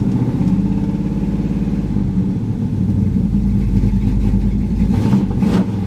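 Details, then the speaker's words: Pontiac Firebird V8 just started cold, lumpy uneven burble over a steady low rumble that never settles into a clean beat; rough cold running, apparently no choke. "hear that little burble here no choke apparently yeah she got a little mess"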